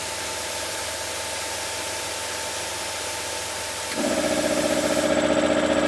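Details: Ash Air SF302 3HP single-phase, low-rpm cast iron 3-cylinder piston compressor, 16 cfm, continuous-run mode, starting after air released: steady hum, then pump thumps in at about three beats a second with rising tone; running normally.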